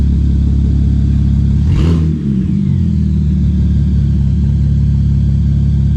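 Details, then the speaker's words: 2007 BMW 335xi project car just started after cooling system bleed, no leaks; loud raw open-pipe drone holding steady with one brief blip, running smooth with no knocks or misfires: normal running, open exhaust. "so sounds like it's running good uh so far so good"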